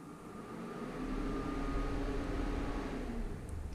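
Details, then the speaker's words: Arduino-controlled DIY water chiller for a 60W Orion Motor Tech CO2 laser, with the pump running: a steady low hum swells as the fans spin up, then holds an even whoosh with no rattle or rubbing. "you'll hear the fans turn on"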